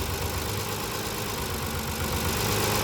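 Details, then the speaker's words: Kia Carnival 2.7 LPG engine at idle, ignition coils pulled one at a time in a power-balance test: a dull, uneven knock at roughly three per second that grows louder with a coil pulled; piston slap, not tappet noise. "자 널 때 소리가 커집니다 그렇죠 이게 바로 스턴 플리 도리입니다"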